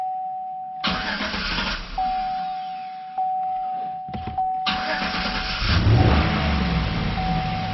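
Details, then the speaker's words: Engine started right after an injector balance test with an Autel scan tool, which injects raw fuel into the cylinders: starter grinds for several seconds, pauses, cranks again, then catches to a rough idle. Long cranking because it was flooded. "so that's why it took a while to start it was flooded"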